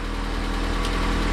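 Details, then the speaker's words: Honda B18C1 B-series VTEC engine after valve lash adjustment, still warming up: even, steady low hum with no ticking or knocking; much quieter, smooth idle. "But so far, it's much quieter. Idle is still smooth too. Still warming up."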